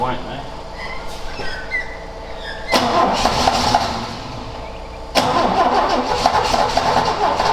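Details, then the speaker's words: Ford XA Falcon parked outside and unrun for an unknown time: uneven starter cranking in long bursts never catching into idle; seems to lose spark as soon as it starts; owner considers direct battery feed to coil; cranking no start. "it's like it's losing spark as soon as it starts"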